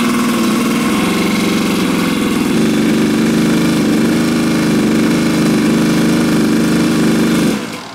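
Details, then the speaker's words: Original 25-year-old factory carburetor on a Kawasaki two-stroke dirt bike: lumpy, uneven, rough rich-sounding burble before cutting off; runs extremely rich versus the new genuine Keihin PWK and Chinese copy, owner blames the tapered needle below the slide. "But in regards to the carburetors, I think this confirms my original carburetor runs extremely rich compared to both of the new ones."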